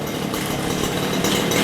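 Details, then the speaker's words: Stihl two-stroke hedge trimmer (possibly HL94K) that had no power and sounded like it was running in a vacuum, after air cleaner fix, choke on, warming up: rough rasping idle, steady, no sputter, breathing freely now. "You can tell the difference just by the sound. It sounds like it can breathe now. Might just need to warm up a minute."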